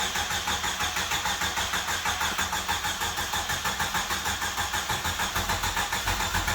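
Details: 1995 Jeep Wrangler YJ, first start in years after new fuel pump and filter replaced a shot pump and rotten gas: catches and settles into an even idle pulsing about three times a second, no knocks or misses; normal idle.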